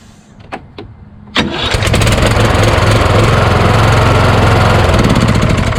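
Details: Craftsman YS4500 lawn tractor repowered with a Kohler Courage single, about 36°F cold morning: a couple of sharp clicks as the starter hangs on compression, then it catches into a steady run of about 3.5 beats a second; double shims added to starter mount didn't help.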